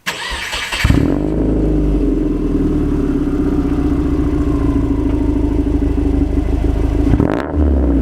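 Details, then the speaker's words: Subaru WRX on stock exhaust before an Invidia cat-back install, engine already warm so not a true cold start: cranks briefly then catches cleanly into a steady, mellow, quiet hum; normal startup and idle. "so we're gonna give you a start up in a few revs the car is already warm so it's not going to give you the true cold start effect but you'll get the idea"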